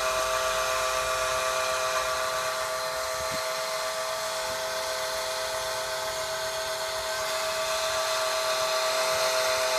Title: Audi a8 strange noise 1/2